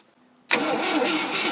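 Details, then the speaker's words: Scrapyard 360 V8 Jeep Cherokee, long sitting, marginal battery: starter kicks in and drags the engine over slowly and laboriously, no firing; wire getting warm. Slow cranking, weak battery suspected, not confirmed. "That is a slow crank. Yeah, this wire's getting warm already."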